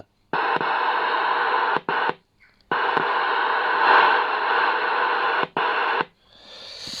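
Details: Shogun UK 40 CB radio after repair of being stuck in transmit mode, 4 W high and about half a watt low output; clean steady hiss cutting in and out crisply with each key click, no crackle, hum or dropouts; receiver healthy.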